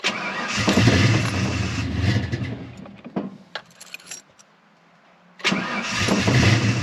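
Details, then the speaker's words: 1988 Ford Mustang LX 306 V8 with a running-rich fuel problem, first start after a new oxygen sensor in very cold weather: it catches with a rough, uneven rumble, stumbles and dies within seconds, then restarts. Cause not confirmed. "so let's go ahead and get it started see if we can tell any difference probably still going to run like crap cuz weather's so cold"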